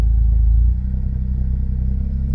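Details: Smart ForTwo 450 turbo engine after full rebuild (engine had blown, turbo cracked), road test on a cold January afternoon at about 38 mph: smooth steady low rumble, even beat, no knocks or whines; running healthy.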